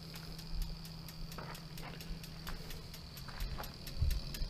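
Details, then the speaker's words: Trikexplor F426E recumbent quad, dual 48V 500W mid motors, SRAM 11-speed 4WD: crisp, even ticking of the rear freewheel while coasting, over a faint motor hum; stops when pedaling or pedal assist engages. Normal. "the ticking you can hear at the present moment is the freewheel on the cluster so if i were to turn the pedal assist or the pedals ticking stops okay"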